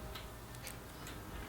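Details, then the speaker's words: Shimano hydraulic bicycle brake, front, after topping off fluid and drawing it in by pumping the lever without bleeding: faint light clicks about twice a second as pads bite the rotor cleanly; lever now firm, normal engagement. "can hear the brake pads in the rear engaging I'm sorry in the front so levers definitely much better this is like how it should be"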